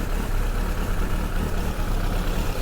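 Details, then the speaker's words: Suzuki GSX-R1100 being readied for its MOT after 13 years: idling with a new air filter, right after the tick-over was adjusted. It gives a steady, even burble with a deep exhaust beat and no misses or knocks, a normal idle. "just adjusted the tick over. It's sounding alright."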